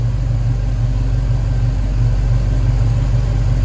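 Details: 1969 Pontiac Firebird, Pontiac 400 V8 with Holley Sniper, warm, IAC readjusted to 4: deep, steady rumble with loose, lopey pulse about two beats a second; normal warm idle.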